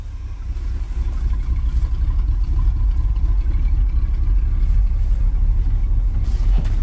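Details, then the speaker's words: 1980s Chevy K30 4x4 dually dump truck, parked for years, running on a new carburetor despite vacuum and fuel leaks: a smooth, even V8 picking up cleanly on throttle, no smoke, knocks, ticks or misses. "so she's running fired up pretty good I don't see any smoke no engine noise"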